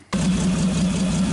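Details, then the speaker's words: 1948 Nash engine with exhaust pipe fitted, idling low; smooth even regular pulse, no misses or knocks, no smoke, sounds good; normal idle. "okay hard to say what it sounds like on camera but it really sounds good no smoke whatsoever"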